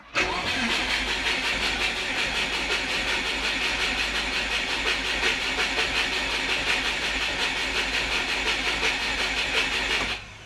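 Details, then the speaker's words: Turbo Subaru Forester after an ECU update will not start: slow, laboured cranking under 200 rpm with injectors off, never catching; ECU logs trigger reference error 1301 (lost crank trigger) and a low battery is suspected. "We're not even getting up over 200 RPM. But yeah, we're not getting that trigger anymore."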